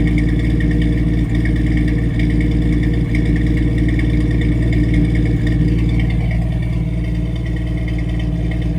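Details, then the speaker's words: 1989 Jeep Wrangler YJ 4.2 L inline-six, Weber 32/36 carb, new exhaust (Flowmaster 40, no cat) at idle: uneven lope with periodic dropped beats, roughly three a second; owner suspects a miss, hopes new plugs, wires and HEI distributor fix it. "so that's what it sounds like with a Miss I think I hear a Miss I'm sure you all know better than I do but that's an issue I'm working on too"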